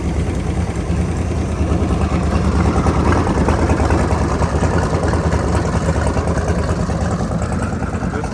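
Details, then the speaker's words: Seeker Craft boat engine with newly installed Berkeley jet pump and new alternator, charging 13 V, batteries a little low: steady low idle with faint quick lifter tick; otherwise running well. "Bell's running true. Sounds good. There's a little lifter tick, so"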